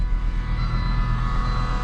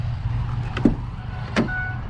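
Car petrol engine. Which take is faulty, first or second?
first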